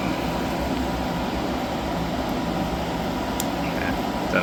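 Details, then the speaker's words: Hyundai small portable air conditioner after leak repair, recharge and leak check: steady even fan roar over low compressor hum, no cycling or rattles; running normally, cooling without icing, quite noisy. "Um, so yeah, I'm quite happy it's uh all working and it's significantly cool. It's quite noisy."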